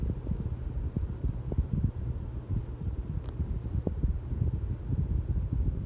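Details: 42-inch Harbor Breeze Ocracoke ceiling fan, installed around 2005, on high speed, top view: soft low whoosh of air with an even, unbroken hum, no ticking or wobble; runs smoothly.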